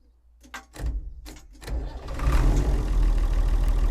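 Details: Vintage Leyland tractor with rare 698 six-cylinder diesel; few clunks, then catches and settles into deep, steady, even idle with no knocks or misses — normal diesel idle.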